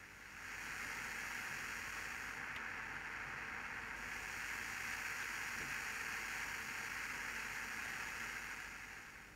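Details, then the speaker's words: Serenada RE-308 valve radiogram, partly assembled after all capacitors were replaced and contacts cleaned: a steady soft hiss at maximum volume that goes away when turned down, with faint crackle from the controls. Normal for its age. "давайте ручки покрутим немного шумит в максимальном положении если убавить при не шумит"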